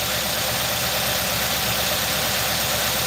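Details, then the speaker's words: 2018 Nissan NV3500 5.6 L V8 with sludged engine, after several oil flushes: loud idle with uneven loping beat and stumbles; misfire, cylinder 6 suspected, ignition coil blamed, not confirmed. "let's start it up and see what it runs like it's still shaking i can tell it's misfiring yeah that ignition coil has been misfiring too long and ain't no good"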